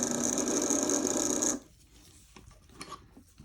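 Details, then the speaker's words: Athearn Band-Drive F7 model locomotive motor tested on its own: high, buzzy whir with a rough, gritty edge for about 1.5 seconds, then cuts out; runs rough, cause unclear. "try it in the forward position God that sounds awful not a lot I can do okay why was it not working with the wheels"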